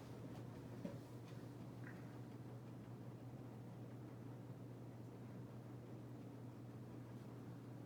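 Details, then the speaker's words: Hampton Bay Redington IV 52-inch ceiling fan on high speed; low steady hum with soft air rush, no ticks or wobble, moving a good amount of air, running normally. "well yeah it's definitely moving a pretty good amount of air and a high speed for being a hampton bay fan"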